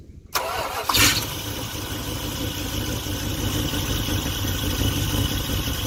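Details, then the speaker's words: Dodge Ramcharger sitting about 16 years, fed from a gas can: sharp start, then a ragged uneven low idle. Fuel starvation because the mechanical fuel pump isn't pumping fuel; an electric pump is to be hooked up. "All right, it's not pumping fuel, so let's hook the electric fuel pump too. We got a bad fuel pump on here."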